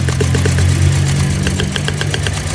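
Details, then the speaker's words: Toyota Vios Dual VVT-i, fuel pump and spark plugs replaced without change; shaky uneven idle with stumbling low beat and irregular pulses; misfire, ignition coils found to have spark, compression test next (cylinder 1 at 150 psi). "Kung mapapansin niyo, maririnig niyo na palyado. Matindi yung alog ng kanyang makina."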